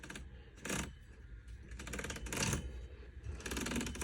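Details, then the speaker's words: 36' Hatteras yacht Hynautic hydraulic steering after refilling fluid lost to a slow cylinder leak, re-pressurizing and bleeding; wheel turned at upper station gives rapid clicking with uneven catches, skipping from an air pocket. "and then it'll skip a little bit that's air pocket"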